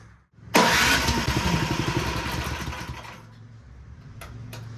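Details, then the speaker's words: Snow blower single-cylinder engine run to check the transmission and auger: catches and runs lumpy and uneven, cause not yet found; afterwards it puked thin oil from the PCV breather, and the owner wonders if it is overfilled with oil. "I'll come back and revisit this because it may take a little longer than I anticipated to diagnose why it runs like that"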